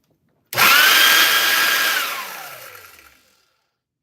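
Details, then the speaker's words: Oreck vacuum cleaner switched on: harsh high whine jumps up at switch-on then winds down over two seconds, heavy and rough-sounding; motor fan imbalance. "of real heavy and you know doesn't really sound good."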